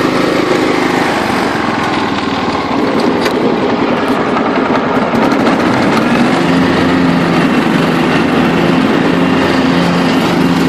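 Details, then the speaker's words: John Deere LT133 lawn tractor with Kohler Command engine, after restoration, mowing and picking up leaves under load; steady small-engine buzz holding an even beat, not missing, quiet at all throttle ranges; normal healthy running. "it's running good not missing the beat picking the leaves right up it's real quiet at all Throttle ranges which is really cool"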